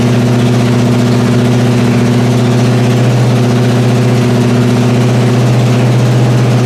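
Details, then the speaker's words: 1981 Pontiac Trans Am Turbo, first run after years of sitting and a carb fire: smooth, even idle with a steady low rumble, no valve train noise or smoke; healthy idle. "Sound for as long as it's been sitting. Yeah, fire. It didn't really put up a fight. No valve train noise. No smoking out the back."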